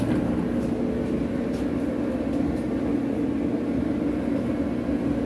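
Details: Kenmore dryer after repair of a bad drum wheel that caused squeaking: steady even tumble hum with mid-pitched drone, no squeak or thump; drum runs smoothly, normal dryer run.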